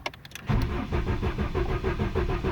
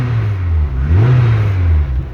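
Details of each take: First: VW Mk2 GTI with CIS continuous injection, sat over a year; key cycled about ten times to prime fuel pump and build pressure; slow, uneven cranking drags several seconds while air bleeds from injector lines, then catches and settles into low steady run. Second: MK2 VW GTI with continuous (CIS) fuel injection, on stands with no rear wheels, just started with battery reinstalled: steady running then a smooth rev up and back down, clean and even with no misses or knocks.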